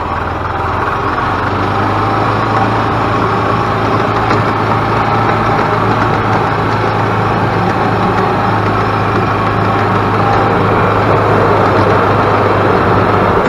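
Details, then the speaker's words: 2000 Yamaha G16 golf cart on its first test drive after an engine rebuild; it had been making a very loud racket and would not go. Steady, even drone as the cart pulls along, no knock or rattle; runs healthy with good power. "nice and smooth actually has nice power on it so I am very happy with the way this golf cart feels"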